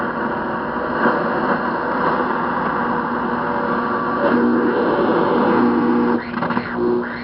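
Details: 1972 Philco radio while DXing; loud hissy static with wandering whistles and faint warbling, only strong stations coming through; owner suspects a nearby 5G tower, cause unconfirmed.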